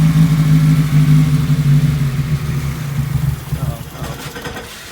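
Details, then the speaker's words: Nissan 240SX with naturally aspirated SR20DE: warm engine idles low and unevenly then sags and stalls; also bogs between about 1500–4000 rpm; TPS sensor then tested and replaced. "I have an SR20 DE, so this is the NA SR20 motor, and yeah, it just kind of idles like that, and after it's warm it dies."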